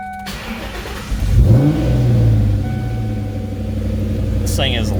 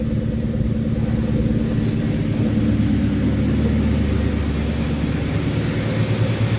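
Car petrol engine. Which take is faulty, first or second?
first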